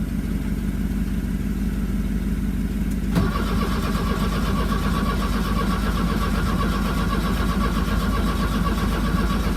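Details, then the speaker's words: 1982 VW Vanagon Westfalia diesel with new battery, glow plugs and starter, on jumper cables on a chilly day: steady cranking about three turns a second that never catches; then the engine-to-frame ground was cleaned, poor ground blamed. "so after all that frog's now cleaning the ground because in our life we've learned that if you're not grounded you can't start"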